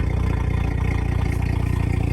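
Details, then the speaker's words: 2018 Audi B9 S5, EA839 3.0T V6, about 57,000–58,000 km, fresh Castrol Edge 5W-30 oil, recorded at rear: even low idle exhaust burble, no misses or knocks; stock exhaust except catless downpipe, Magnaflow 200-cell cats replacing resonators. "That's running a stock exhaust system. apart from uh the downpipe has been changed for a catless one."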